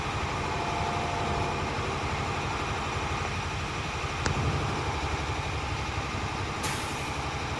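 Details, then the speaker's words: Automatic truck in CDL brake inspection, in neutral with parking and trailer brakes set, throttle raised to build air to 120 psi; steady diesel idle then a sharp air hiss as the compressor unloads, normal air governor cut-off at 120 psi. "There's the governor cut off. That means my air governor is working properly. My pressure is normal at 120 psi."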